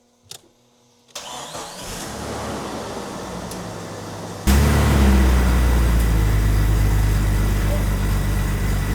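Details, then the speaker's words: Jeep Cherokee XJ with replacement 4.0 inline-six, first cold start: steady cranking, then smooth even idle, good cold oil pressure, no vacuum leaks. "This is a nice sounding motor. >> This sounds amazing."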